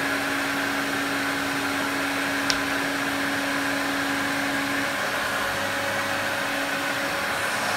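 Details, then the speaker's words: Electrolux 502 vacuum cleaner after cleaning and polishing, motor not yet serviced: a steady roar with a thin constant tone and a slightly rough edge, better than before but not perfect; worn motor bearings suspected. "doesn't some too it doesn't sound perfect but it doesn't sound as bad as it does"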